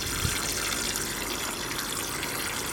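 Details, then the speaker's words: Heat pump hydronic system: a pipe bend on a fan coil unit suddenly burst, giving a loud, constant rushing spray of water like a line venting freely before the valve was closed; a large leak. "c'est une belle fite la CR lâcher d'un coup là c'est pas le résultatc je fermer la vanne donc on voit la fuite est balaise"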